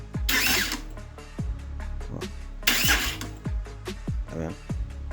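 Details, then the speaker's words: 2022 Honda CB Twister starter cranking: two short raspy ratcheting bursts, nearly locking; starter motor's internal magnets apparently loose from the housing, starter must be replaced. "vi esse barulho é isso aqui ó motor de partida é o ã de indução acho que é isso tem aqui dentro que ele se desloca da carcaça daqui do Motorzinho entendeu"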